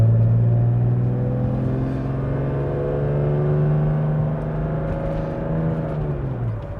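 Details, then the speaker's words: 1995 Mercedes E320 W124 wagon automatic after tightening the accelerator Bowden cable: engine pulls through a long rising run with the 2-3 upshift coming late; owner plans to back off the modulator valve and cable slightly. "that was not okay so now that we've tightened the cable I think I want to come out a little bit on the modulator maybe just a touch on the cable too cuz it seemed like two three should have shifted a little sooner"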